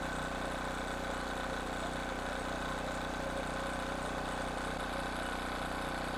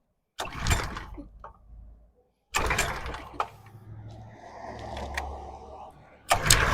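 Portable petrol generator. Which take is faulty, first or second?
second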